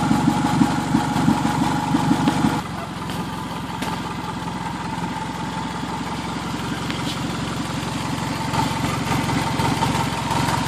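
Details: 2003 Toyota Camry, first start after an engine swap, at idle. Raspy, uneven puffing keeps pace with the engine. The noise is an exhaust leak at the flex coupler; the motor itself is quiet, with no valve noise and no knock.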